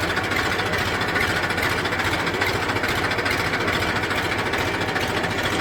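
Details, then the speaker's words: Massey 1035 diesel tractor after gearbox repair with reverse and first gears replaced, backing up in reverse: steady diesel chug, no whine, grind or clunk; gearbox quiet and normal. "कोई आवाज़ नहीं है।"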